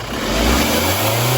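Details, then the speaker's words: Revving engine on a Sorento (turbo) with a light hiss that grows with boost, plus whistling while driving; cause is a split intercooler outlet hose (left side) leaking boost pressure. "Слышите? Шипение. Во время движения еще и свист появляется."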